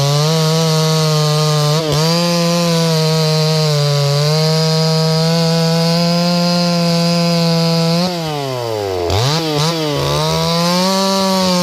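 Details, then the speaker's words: Stihl 024 AV WoodBoss: a strong, steady buzz that dips in the cut and recovers cleanly, running normally. "It's kind of an emotional thing, I think, right now with this saw and the way that it runs, because it runs just like the old 24 that I ran at the Forest Service. It runs just like that."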